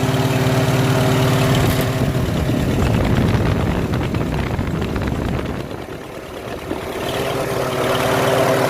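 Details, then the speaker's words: Farmall H tractor after finding and straightening the problem part; steady, even low drone with clean firing beat and a brief dip around six seconds, no misses: engine runs smoothly, much better than before. "listen how much better that sounds Oh just about sounds like the app let me it sounds really good"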